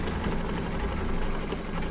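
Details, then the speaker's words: Embroidery machine after quick rethread of upper thread, which had been off, likely not tucked into tension discs: fast, even needle chatter at constant pace, no catching or thumping; stitching normally, problem solved. "Sorry about that. Yeah, problem solved. So just a little off on my threading."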